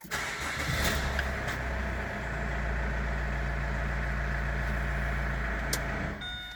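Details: Opel Antara that would not crank, now fixed by replacing the faulty 15A cabin fuse feeding the BSM unit: brief crank, engine catches and settles into a steady even idle; starts normally.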